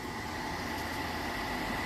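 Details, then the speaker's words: Atwood 7916-II propane furnace, pulled from a popup, bench hot-wire tested in a garage: a steady, even blower whir with a faint hum and no clicks, the normal pre-purge before the valve clicks and lets propane in to fire. "to get it to kick over so it's going to run for a little bit I'm going to hear that click over and let the propane in"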